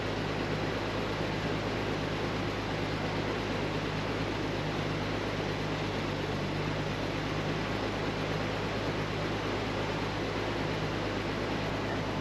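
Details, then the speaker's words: 36-year-old Toyota Land Cruiser 60 Series, cold start after sitting 24 hours, recent thermostat and coolant work: steady, even low hum settling into a smooth idle with no fuel pump whine. Healthy. "that's a cold start too it's it hasn't run for well I tried it yesterday so 24 hours ago it's a pretty smooth cold start can't hear the fuel pump which is good"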